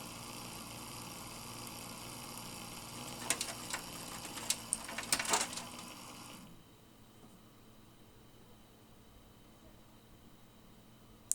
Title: a seriously bad fan bearing.